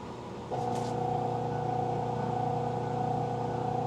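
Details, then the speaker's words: Magic Chef 1.7 portable washer, five years old, on spin cycle: steady motor hum holds with no spin-up rush while timer counts down; drum does not spin. "It's supposed to be spinning. And it's still not spinning. And the time is going down."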